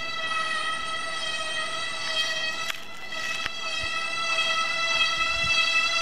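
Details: Continuous loud, high-pitched brake squeal with ringing overtones that never lets up, louder than a bear bell.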